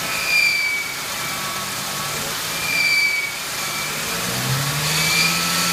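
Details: 1999 Ford Mustang 3.8L V6 at idle: a high, thin squeal from the engine bay rides over the idle and swells as the engine revs.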